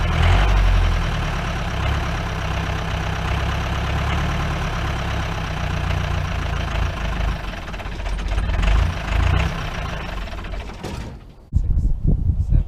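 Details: 1953 Mercedes 170D (W136) four-cylinder diesel, once-seized restoration project, recorded at the rear "business end": hard, heavy, rattly clatter about three to four knocks a second at idle, with smoke; the owner suspects worn injector nozzles and says it needs new ones.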